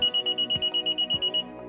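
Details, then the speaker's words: 2023 Honda HR-V or 2022 Honda Civic Walk Away Auto Lock: about two seconds of rapid high beeps meaning the doors did not lock, e.g. Smart Entry remote left in the trunk or out of range when the last door closed. "If instead you hear a series of rapid beeps for about 2 seconds, it means that the doors have not locked. This might happen if you accidentally put the Smart Entry remote in the trunk, or if the remote is out of range when the last door is closed."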